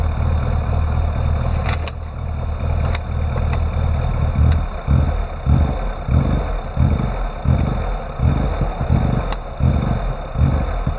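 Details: Classic Rover Mini with an unstable idle: it won't rev when the throttle is opened, although the throttle voltage changes. Lumpy, hunting idle with irregular low thumps about 1.5 per second, never settling; cause unclear.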